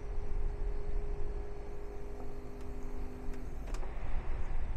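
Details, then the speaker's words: AIVOLT 800W portable power station running an air conditioner on low: hum strains about three seconds, then a click and dropout; compressor cannot start, only the fan runs. "I think we're killing this thing. I don't think it's gonna do it. Nah, it just shut. It just went on to just the fan. It can't get the compressor to start."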